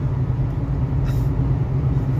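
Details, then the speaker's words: Truck cruising on highway: steady, heavy low hum and rumble from a worn wheel bearing. "I don't know if you guys can hear the wheel bearing."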